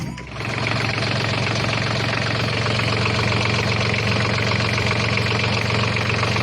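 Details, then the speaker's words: ISEKI Gias AT340 tractor after repair of a broken cooling pump that caused near-overheating, fan had been wobbling at idle: engine catches and settles into a steady, even diesel idle with no surging; fan now turns steadily, running normally. "こう安定して回ってます。昨日はね、アイドリングでもファンがフラフラ回ってたんだけど、直してもらったんで。"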